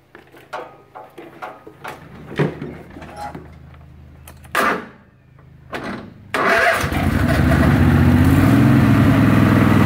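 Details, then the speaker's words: Craftsman Hydro 46" riding mower after unclogging fuel lines that let almost no gas through: a few clicks, then the engine catches and settles into a steady even run with no misfire or stumble; runs fine. "anyways once I did that it ran fine let's fire it up"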